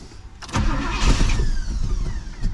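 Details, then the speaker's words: 1985 Pontiac Trans Am, sat a year, fuel spraying from the fuel rail and pump seemingly not building pressure: engine catches, coughs and stumbles unevenly for a couple of seconds, then fades out; sputters and stalls. Cause suspected, not confirmed. "oh it wants to run"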